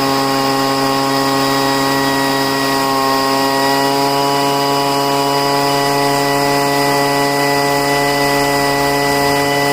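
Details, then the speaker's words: Poulan two-stroke leaf blower at full throttle after five months of storage and richening the high-speed mixture screw: steady high drone holding even speed for ten seconds, no surging or sputtering; running cleanly. "okay, it's fine now. I usually don't have to pour any gas into the cylinder to get it to run."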